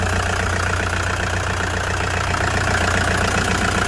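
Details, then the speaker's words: 2009 Toyota Commuter van, 2.5 D4D diesel, heard with the engine bay open: an even, steady idle with light clatter and no misses, knocks or surging. The engine is described as quiet, steady and dry; healthy. "นี่ครับเครื่องเงียบๆนิ่งๆนะครับไม่มีเยอะนะครับ"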